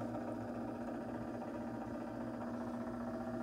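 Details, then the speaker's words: Maytag/Whirlpool washer stuck in agitate, won't go into spin: steady motor hum with fast, uneven clicking rattle as the actuator, display reading "sensing", tries to engage; binding mode shifter clicking, no spin. "we're gonna see what that is but it sounds like the actuator it says sensing so it's trying to engage it's trying to make a decision"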